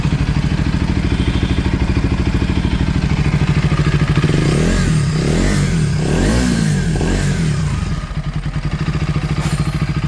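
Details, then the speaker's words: KTM Duke 250 single-cylinder after full engine inspection, repair and reassembly with oil refilled and timing checked: even idle, smooth blips, no knocks or rattles; engine noise fixed, normal running. "एकदम silent हो गई है। अब कोई आवाज नहीं है। बिल्कुल फाइन कंडीशन।"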